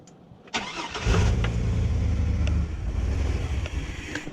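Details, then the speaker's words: Chevrolet Astro van with engine fault and low coolant, sensors unplugged during testing: engine catches and runs with a lumpy, uneven low beat that falters instead of settling; rough running until sensors are reconnected. "Yeah, so much for testing this way. Because none of my sensors are plugged in."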